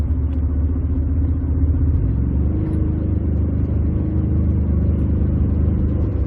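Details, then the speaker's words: 2007-2020 Ford F-150 6R80 six-speed: steady deep road rumble under hard throttle held in 5th/6th gear, torque converter clutch commanded on, no pulsing or shudder and no slip blips on scan data; normal lockup under load. "So we stayed basically in 5th and 6th there, torque converter on, and we didn't see any blips."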